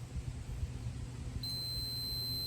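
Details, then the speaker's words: 1990 Yamaha 150 ETLD 2-stroke, main oil tank level sensor (part 6R3-85730-00-00) tested with a multimeter on continuity. The beep shows the bottom float switch closed and working; the sensor was failing to signal the tank was full, causing overfill. "So now I've got flow through those two. So that bottom switch is working, and I knew that it was."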